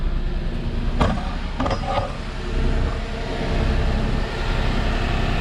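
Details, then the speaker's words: 2006 Chrysler 300 with a suspected blown head gasket, idling outdoors after a new coil pack: an uneven stumble about once a second; it is still misfiring at idle, with no smoke. "i just want to see if it stopped missing at this point but it still sounds like crap oh it still sounds like it's missing"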